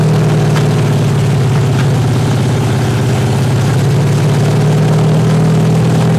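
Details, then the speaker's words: 383 stroker V8 with 1.6:1 roller rockers on an engine stand, open headers, water-only cooling at 210°, after 2000–2200 rpm break-in. Uneven loping, sputtering idle with all 8 cylinders hitting; some valves suspected too tight and sticking open. "Just ain't idling good. Another thing, I'm gonna wait till I get her in the truck to set the idle."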